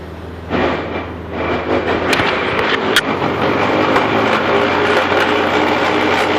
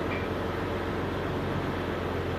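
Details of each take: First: Jeep Grand Cherokee WJ, after 4x4 use, jacked up and in Drive: grinding that turns into rough, uneven clunking, felt underfoot; caused by a worn CV joint on the front Rzeppa driveshaft at the transfer case end. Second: Jeep Grand Cherokee WJ in two-wheel drive with the front driveshaft not driven: steady low drivetrain hum with no clunks or knocks. The clunking grinding in 4x4 was the transfer-case-end CV joint on the Rzeppa front shaft, fixed with new yokes and a double cardan.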